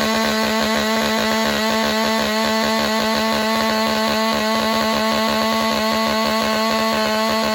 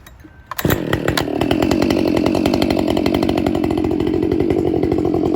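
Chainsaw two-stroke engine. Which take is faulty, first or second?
first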